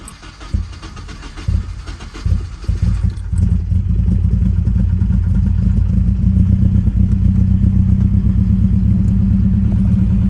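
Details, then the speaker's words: Nissan 240SX at cold idle just after fitting new fuel injectors for a misfire: lumpy uneven idle with a stumble roughly every second, still missing hard on one cylinder; injector later seemed to come around while warming. "like we're still missing pretty hard let's go look at it"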